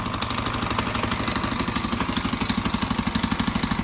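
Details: 2001 KTM 520 EXC idling with a sharp, regular knock on every firing pulse, about two per second; the source of the knock is unclear.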